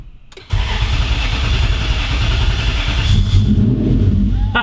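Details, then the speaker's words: V8 drift truck on its first start after finishing the custom 4-link suspension: a deep, loud, lumpy idle with raw exhaust bark, louder than usual because a muffler section is off; engine sounds healthy. "It's louder right now because that muffler section isn't on."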